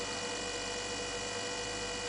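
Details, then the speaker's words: 9 V max DC motor on Arduino Mega 2560, potentiometer turned down until it runs very slowly then stops; thin steady whine around 500 Hz with no running noise, stalled yet energized, pitchy PWM whine. "it's one's very slowly and here it stops although you keep hearing the motor obviously very pitchy noise"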